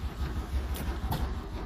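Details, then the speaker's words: Old Mark 1 vehicle on electric fuel pump and starting fluid, oil pressure up, 14 volts: low rapid starter chug turns it over but it doesn't fire; owner suspects bad old gas, carburetor later leaking fuel; cranks but no start. "let's crank it over oh nothing starter come on"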